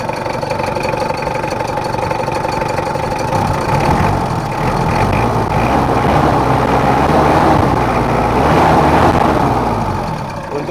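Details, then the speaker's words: Mitsubishi Kuda diesel after injection pump setting and repair: steady idle of about four beats a second with a slight uneven shake that won't smooth out. Worn injector nozzle housings, not serviced during the overhaul; crackling suspected from an alternator bearing. "mesinnya sendiri nggak bisa halus sempurna atau seperti normal soalnya rumah di novelnya itu sudah ada mulai ada tekanan"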